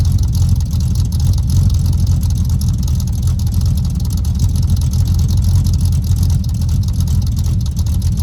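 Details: Cold start without choke of a 383 V8 El Camino on new glass-pack exhaust with headers: deep, lumpy, even burble with strong low rumble, no knocks or misses; normal cold idle.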